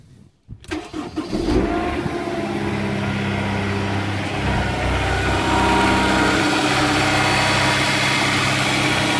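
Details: Honda S2000 cold start: the engine catches after a short crank and settles into steady idle with faint regular tapping underneath. Rod knock is suspected, not confirmed.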